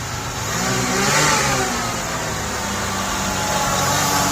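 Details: 1989 Buick Reatta: after fitting a new idle control valve, the engine surges up and hangs at a fast, steady idle instead of settling, still revving high; owner suspects a stuck idle control valve, runaway high idle.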